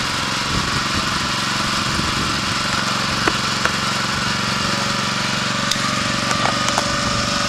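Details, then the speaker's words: 1981 Honda F200 garden tiller cold-started after sitting about a year, two or three pulls, choke partly on to warm up: small single chugs at a steady, even beat with no skips or knocks and no smoke; it runs smoothly. "You can always count on your Honda engine to start up fairly quickly. 2 or 3 pulls is not too bad for sitting there for a year. It's not smoking or anything."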